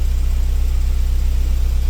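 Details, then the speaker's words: 2010 Hyundai Getz with a no-start and no fault codes, after replacing the crank angle sensor: starts and holds a smooth, even idle around 880 rpm with no misses or hunting; crank sensor fault fixed. "Yes, this is started. This is after replacing the crank angle sensor. So the job is done. The the fault was crank angle sensor fault."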